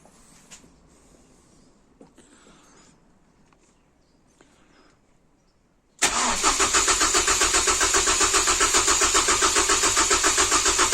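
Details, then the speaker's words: First start attempt after base timing set, no alternator belt fitted: starter cranks steadily about 220 rpm but engine never catches. "well very briefly sounds like it probably needs some fuel but that is a good start"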